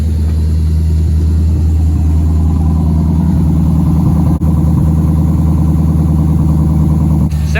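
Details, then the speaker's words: V8 project with an LS2 camshaft and Holley Sniper EFI, on a 50-degree day; deep, lumpy idle with a choppy loping beat and a quick throttle blip; healthy engine with an aggressive cam. "good sounds really good listen that little baby ls2 camshaft"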